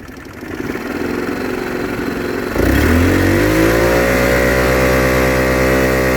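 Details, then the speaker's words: Linhai Rustler 260 automatic quad: starts easily and idles smooth in neutral, but when revved picks up then hangs at a muffled smothering drone; bogging, cause unknown after new plug, spark, fuel and carb cleaning checks. "it starts up fine as you start driving it revs up but it doesn't give up properly it sounds like quite a smothering sound"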